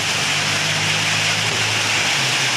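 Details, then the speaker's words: Opel Blazer that would not start from lost crankshaft position (CKP) sensor signal, after the fix with the connector reattached: engine catches and settles into a steady, even hum under heavy hiss, no misfire; starts and runs normally. "uh Alhamdulillah berhasil nyala ya kita of kita starter lagi"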